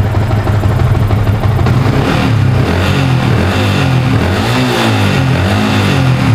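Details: Yamaha Vixion (new) motorcycle with code 46, sputtering and dying on throttle; charging 14.2–14.4 V, regulator fine, battery found weak: idles evenly, revs rise and fall smoothly with no misfire; normal idle and revving.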